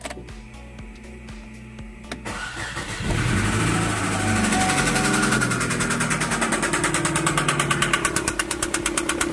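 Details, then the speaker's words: Chevrolet Cruze petrol engine, arrived on a tow truck for engine repair, starts and settles into a heavy, regular knock about three blows a second; cause unknown before teardown. "В общем, как-то вот так вот он стучит, прякает. Сейчас, конечно же, буду всё вскрывать, смотреть."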